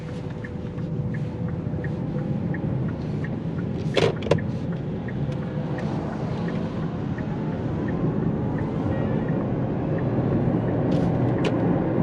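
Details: Kia Niro EV with an intermittent reduction-gear rumble or knock, said to appear after hard acceleration. Test drive with oil warmed on a slippery road: steady low-speed tyre and road rumble, no knock or whine heard. Normal driving, no gearbox noise.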